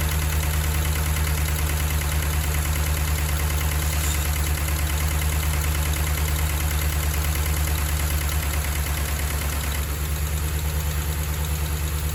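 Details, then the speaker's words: Dodge Ram Hemi V8 steady idle with fast even light tick about three a second, persisting after reconnecting a loose harness; cam and lifters suspected. "obviously we still have some noise so we're gonna have to do the cam lifters i guess that sucks"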